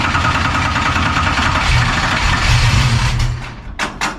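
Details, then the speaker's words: Dirt race car that died on track from fuel starvation, during fuel system diagnosis: steady starter churning with no catch or firing, then clatters. The fuel pump is not pumping and the line is dry even with the fuel valve on. "There you go. Huh? Not pumping yet. Dry. Gas is on."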